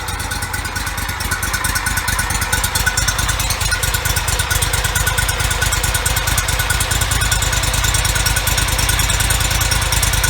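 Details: Toro Z553 mower, 2004 Kohler Command CH23 23 hp, 453 hours, just after replacing the PTO-side oil seal, some bolts left loose: steady, even chugging at fast idle with a solid low thump, no knocks or misses. Normal running.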